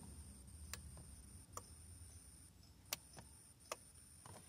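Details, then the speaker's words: 2007 Chevy Colorado 3.7: power locks don't work; a few faint irregular switch clicks in the quiet cab with no actuator thunk, locks not actuating; an aftermarket alarm is installed and the replacement remote also fails. "tenemos este 2007 chevy colorado motor 3.7 la queja es que no funcionan los seguros porque primeramente muy bien si se escuche"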